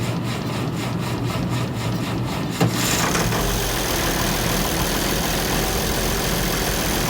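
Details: International 1066 diesel tractor started right after an oil change to check for leaks; rough cranking patter gives way to steady diesel clatter settling into an even idle, starts and runs normally.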